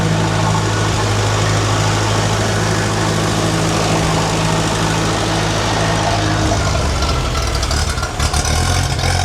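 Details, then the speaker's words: Restored Ferguson TE20 petrol tractor, main jet set 1.5 turns out; runs steady then beat falters and sags as it starves and dies on throttle, fuel only dripping into the bowl through a sediment tube with tiny hole. "No, I reckon at the start of the video I said that thing's not keeping up with it. It's only dripping into that bowl. I don't reckon it's keeping up."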